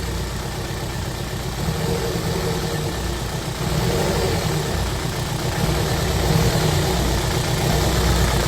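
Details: Freshly built supercharged Honda Civic FN2 on an RB30 block, first start after install: a rough, lumpy idle beating about four per second that stumbles and steadies; misfire.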